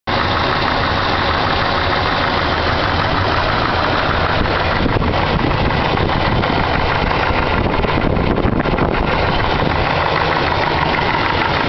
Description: My 454 Engine knock can someone tell me what type of knock this is?